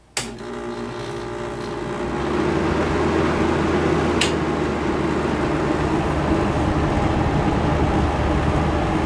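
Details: Hotpoint Porta-Cool 5000 BTU window air conditioner after cleaning, switched on in a room at about 72–73°F: a click, then compressor and fan settle into a smooth steady hum without rattles; running normally.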